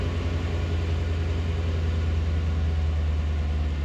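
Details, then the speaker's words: Chevrolet Corvette C4 after new fuel pump install, engine cool, fuel pressure just above 40: steady, smooth low idle rumble with no previously loud fuel pump whine heard; normal idle. "Let's see if we can hear this uh fuel here. It was pretty loud, so we'll see. [Music] Oh my god. I don't hear a thing."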